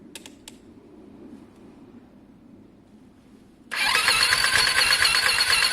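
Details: Lexmoto Diablo 125cc moped bought for parts: after a quiet spell, fast even light hollow cranking, no firing, "close to firing up"; oil found; cranks but won't start.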